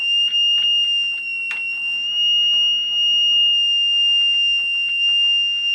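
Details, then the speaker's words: Mid-1930s vacuum tube radio under restoration: steady piercing high squeal near 3 kHz over faint hum, from a faulty 6B6 tube, triggered by tapping it; radio section still not receiving signal, 6J8G oscillator suspected. "I've discovered a new problem that has to do with the 6b 6 which is right in here yeah this one and you'll hear it spree Chad if won't tap the bloody thing"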